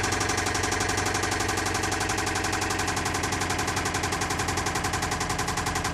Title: 2008 Toyota Camry engine knocking